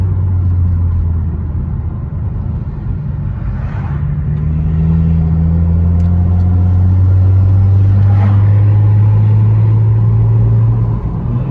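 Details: BMW 335i N54 petrol inline-six at idle: low lumpy rumble stumbling irregularly, a rolling misfire wandering between cylinders.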